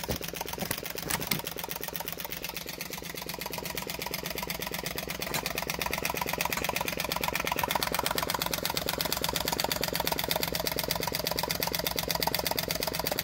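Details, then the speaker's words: Flame licker engine "Nick" with taper-bored flywheels: quick even ticking and popping from the ball valve at about 170 per minute; normal running. "nick so you can hear the popping from that valve the ball valve"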